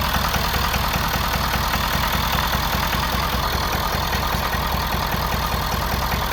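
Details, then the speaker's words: 2011 Ford Super Duty 6.7L Powerstroke diesel V8, cylinder 6 lower compression: uneven, lumpy idle pulse from the exhaust, little blow-by; suspected dropped or burnt valve causing misfire, not confirmed. "But with that sound coming out of the exhaust, I would assume we have a drop valve or something, burnt valve or anything like that."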